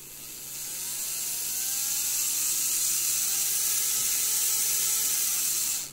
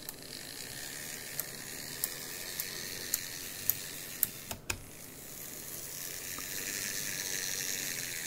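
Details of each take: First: Graham Farish GNER HST loco motor, Chinese Poole-type chassis, after non-runner fix, spun with direct power both directions: smooth high whine climbs then holds steady and even; motor running well. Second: Graham Farish N gauge GNER HST loco (Chinese Poole-type chassis) with dodgy contacts and a snapped bogie post: quiet whirring drive with regular sharp ticks about four per second. Fine in one direction, clicking in the other.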